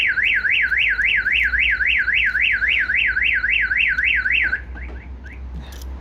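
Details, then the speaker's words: 2019 Vauxhall Movano with a newly fitted Starline E96v2 van alarm, armed and then force applied to the glass to test the impact sensor: loud siren sweeping up and down about 3.5 times a second, then cutting out; alarm working normally. "So we've just shown you what we call impact sensor. So if someone applies a force to the glass, the alarm will trigger."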